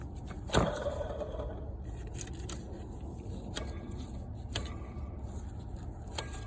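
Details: 2005 Toyota Camry XV30 idling low and steady with sharp uneven knocks about once a second; diagnosed as a bad water pump, easily mistaken for piston slap or rod knock.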